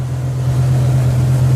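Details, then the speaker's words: BMW E60 M5 V10 idling with a deep, droning, slightly lumpy exhaust, running on maybe six or eight cylinders; mechanic says the entire right bank is missing, with hot air from one side and barely warm from the other. "if we go up front you can hear that it's running on six maybe 8 cylinders according to the mechanic it was missing the entire right Bank of the car"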